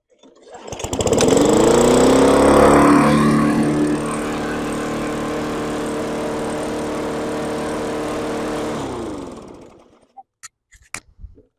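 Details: Free yard-sale single-cylinder mower after cleaning the air filter and adding fresh gas and oil, three primer pushes: it catches on the pull, flares briefly, then runs steadily and evenly until switched off.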